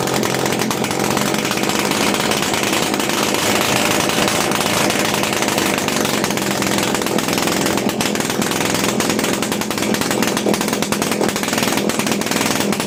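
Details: TVS XL Heavy Duty two-stroke moped, freshly rebuilt engine on extra oil in the fuel, kick-started: high buzzy rasp holds strong and steady with light throttle blips, running cleanly.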